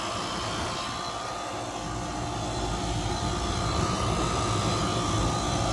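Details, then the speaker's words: Carrier HVAC compressor, first stage, drawing 14 A against 11 A for a quiet unit. After an oil treatment injected through the low side, the rattling stopped. A steady, heavy roar with a low hum and faint whine remains, still louder than normal. "It's still louder than it should be. I mean, this isn't a miracle."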